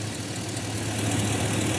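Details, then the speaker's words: 2005 GMC Sierra LS V8 after a stuck injector was freed with punch and hammer: even low idle burble, steady rumble, injector clicking, no stumble or shake; normal smooth idle, injector fixed. "It's clicking away. That injector's totally working. We fixed it with a punch and a hammer."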